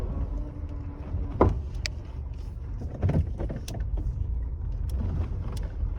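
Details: 2008 Honda CR-V, 2.0 litre manual: irregular dull thumps through rough-road rumble when the body flexes over bumps, near the driver door's lower hinge with the door trim removed; fixed by replacing the driver door hinges.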